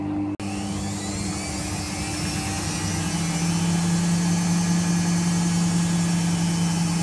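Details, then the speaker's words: 2001 washing machine, 5 kg capacity, after drum bearing set replacement, spinning fully loaded: steady low hum climbing slightly as drum speeds up, no rumble or grinding; back to original sound. "artık makinamız orjinal sesine döndü"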